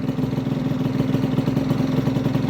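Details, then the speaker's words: Honda Vision scooter after fitting a new starter jet: choke turned off after start with light revs, then a steady, even single-cylinder idle around 1500 rpm with no hunting; best it has run unaided. "and it's idling perfectly it's around, 1500 going on the gauge but it sounds perfect that's the best I've ever had it running on its own without me having to intervene"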